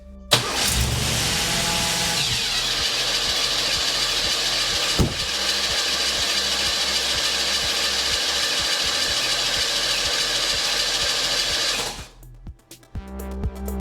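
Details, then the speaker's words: Oldsmobile just back together after starter failure: the engine fires, but a harsh high whirring grind continues while it runs until shut off, because the starter doesn't disengage; the starter solenoid is bad. "No, I that solenoid is just bad is what's bad."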